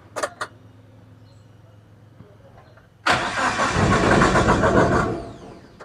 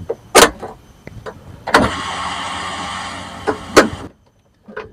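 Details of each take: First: Suzuki APV Mega Carry petrol, won't start, battery and starter OK: starter churns steadily about two seconds, engine never catches. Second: Suzuki APV / Mega Carry that won't start: at key-on a couple of clicks then an even two-second fuel pump whir with relay bypassed; pump works, so the relay is at fault.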